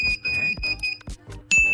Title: Beeping sound in HIKVISION DVR or NVR always happened